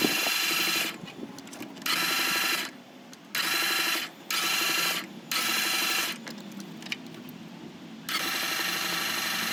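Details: 2015 Ram ProMaster 2.4 MultiAir that stopped starting: repeated bursts of fast, light, even cranking with no compression chuff, as if valves or timing chain had failed; timing chain looked fine, and air in the MultiAir valve actuator hydraulics was the cause.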